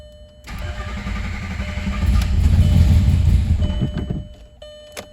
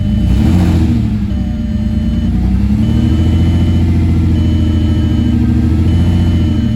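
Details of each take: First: Rebuilt VW VR6, first start in the car with no coolant; oil pressure reached 30, then held 18 cranking. It catches and runs a few seconds with a lumpy chug; a missed vacuum line is suspected. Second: Freshly rebuilt VR6 engine just installed, first start after a slightly chugging idle: revs up and settles smoothly with a deep even note, no knock or misfire, dash chime repeating; sounds healthy.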